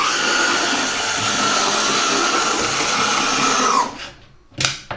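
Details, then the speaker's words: Oxford Rail Class 415 Adams Radial 4-4-2T model, second-hand and unserviced, run at full speed on test track: steady high whirr with harsh rough buzz, quick but very noisy; owner suspects motor needs lubricating; excessive motor noise. "It runs quite quick. But it's very noisy."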